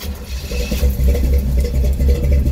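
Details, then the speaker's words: 1972 Chevy truck already warmed up, started without pumping the gas pedal: it catches immediately and settles into a deep, evenly pulsing idle with no misses or knocks. Normal warm start and idle. "right up this truck runs cherry"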